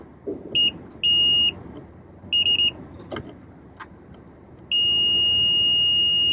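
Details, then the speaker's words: 2014 Honda CR-V rear right power window dead from both switches; both switches tested good. Meter continuity check across white and blue wires at the switch gives steady beeps, so the circuit is intact and the window motor is bad. "We have continuity across it. So we know, without pulling the whole door panel off of it, that this car needs a power window motor."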